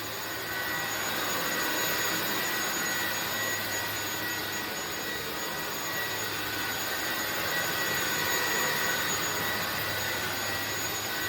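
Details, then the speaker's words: INSE V120 cordless vacuum at 40% battery, set to medium: steady high-pitched motor hiss with clean whistle, no surging; running normally at medium, though it later drops power by itself. "Okay, we're now at 40%. Power still sounds like it's running in medium, which is what I wanted."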